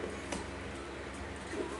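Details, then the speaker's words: Evenheat KF22.5 kiln with RampMaster controller, programmed to 1450°F with 10-minute hold, starting a run: faint sharp clicks every second or so as the heater relay cycles, normal heating. "You get run there, you'll hear clicking. You hear the clicking? That means your oven's going."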